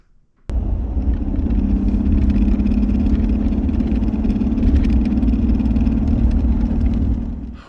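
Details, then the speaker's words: 2013 Jeep Wrangler JK with a six-speed manual, driving on the road; the loose shift knob buzzes against its lever in a fast, uneven rattle over the road drone. The problem was found inside the shifter. "as you're driving it down the road it is making a horrific rattling sound sounds something like this"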